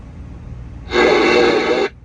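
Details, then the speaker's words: Cobra 29 LTD Classic CB radio installed in a 2022 Freightliner Cascadia, squelch knob turned counterclockwise: a sudden one-second rush of hiss that cuts off sharply; squelch open lets receiver static and feedback through, squelch filters that noise. "you hear that static and that feedback, okay? So that squelch is basically just a filter to be able to filter out all that noise."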